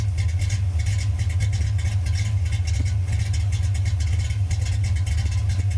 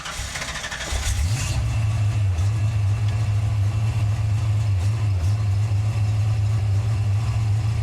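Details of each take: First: Same car with the alternator belt removed, old-school Flowmaster exhaust: steady, even low idle with no knocks, misses or squeals, running great again; normal idle. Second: Car with replaced distributor: engine catches into a lumpy, uneven idle with deep drone as the alternator squeals; belt smoked, owner suspects a bad alternator dragging the belt.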